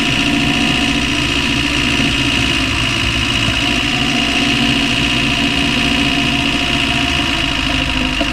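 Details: Land Rover Discovery 1 300Tdi diesel idling steadily with a faint, uneven knock buried in the clatter; knocking noise of unknown cause, owner asks what it is.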